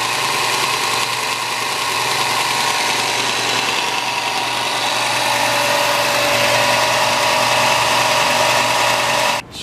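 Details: New Shop Fox W1855 benchtop belt sander at first run: a steady, even motor hum with a smooth belt hiss and no knocks or flapping, until it is switched off at the end. No wobble and belt tracking is good, so it runs healthy.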